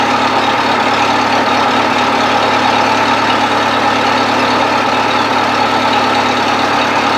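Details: 1970s Bobcat 610 skid steer, near-cold start: old loader engine ticks over at a steady, even idle with no knocking or hunting; runs good.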